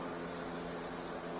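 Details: 2017 Nissan Rogue, newly replaced blower motor tested with engine running: steady even whir with constant low hum, no rattle or scrape; blower motor running normally after replacement.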